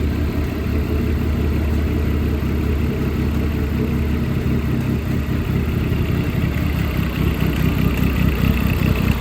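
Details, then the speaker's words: Dodge Caliber SRT4 rescued after sitting outside for a long time, fresh oil and filter, head gasket seemingly fine: steady idle with an uneven internal mechanical clatter; cause unknown, possible rod knock suspected, engine must come out to diagnose. "Seems like there's no cracks in the sleeves because there's no exhaust leaking into the coolant anywhere. But something's making noise in the engine, so it's kind of hard to tell."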